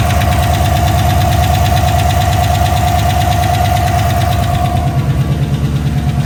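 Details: GMC Sierra 1500 5.3 L83 V8 first start after ZR1 Corvette cam swap, AFM/DOD deleted, new lifters and pushrods, untuned: loud lumpy idle, even lope about three pulses a second, no knock or tick; oil pressure and voltage good.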